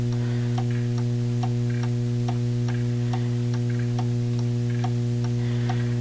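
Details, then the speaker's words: Antique pendulum clock being set in beat, with a timer reading balance in the 40s: steady ticks over low mains hum, spacing alternating long and short in a lopsided tick-tock; clock out of beat. "in the 40s that's not very good"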